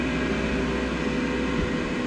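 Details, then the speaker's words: Cloudline S6 Infinity inline duct fan added to a Glowforge, on its controller at high speed. Steady even whoosh with a smooth motor hum, no rubbing or rattle; not as loud as the stock Glowforge fan. Runs normally. "okay this is the what the fan sounds like at high speed here it's definitely not as loud as the glow forge"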